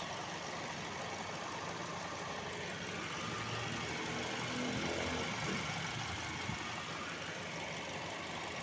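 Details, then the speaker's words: Toyota Vios petrol engine idling with the air conditioning on: quiet, steady idle with a faint regular ticking about four times a second; no clear fault. "Ano? Ano? Naka-aircon na yan. O sige. Ayos."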